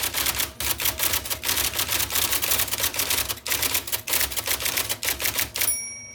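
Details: 1979 IBM Selectric II (non-correcting) typewriter, restored after a miswired plug, cleaning, flushing and lubrication: crisp, quick type-ball clacks in uneven bursts, then a short clean ring at the end; normal operation.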